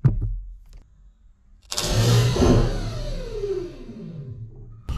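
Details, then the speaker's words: Zero turn mower starter removed and hot-wired on the bench; sharp click then free high whine winding down with no catch, starter spins but drive does not engage; mower clicked without starting. "see a spinning but it's not engaging"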